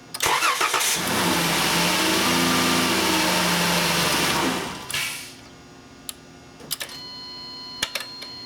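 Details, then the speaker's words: VW Routan (Chrysler Town & Country, 3.6L) with a hard or no start when cold; fuel pressure is lost and the pump relay doesn't energize on crank until after the key is turned. Starter cranks, it catches, revs briefly, then shuts off. "we'll try starting it okay see it I cranked it and it did not energize now it did after I turned the key"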